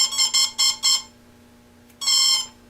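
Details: Parallax Elev8 quadcopter ESC powering up with four quick high chirps, a pause, then one longer confirming tone with throttle back at idle; normal startup tones before arming.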